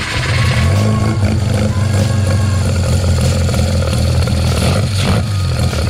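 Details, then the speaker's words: 13B rotary with EMPI IDA carburetor, float adjusted about half a mm (about 5.22): lumpy uneven idle on startup that cleans up; still overfueling, needle/seat blowing open and dripping fuel, float level too high, needs more adjustment. "okay so actually still is um uh blowing open a bit and dripping into the uh the carburetor on Startup um and then it sort of cleaned itself up a little bit so I'm going to um back it off a bit more"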